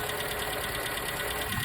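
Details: Ford Capri or Escort Mk3 after ignition system service: steady even idle with soft consistent hum, no knocks or misses; smooth, healthy.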